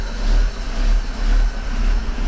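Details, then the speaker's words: 1949 Buick Roadmaster hearse, sat over 6 years, first run with choke on: low, lumpy idle surging and sagging; carburetor needle valve not working, float chamber overfilled and flooding, running rich and spraying gasoline. "Ah, the fucking carburetor's fucked up. No wonder it was running rough. The needle valve is not working. And it filled the carburetor up over the top."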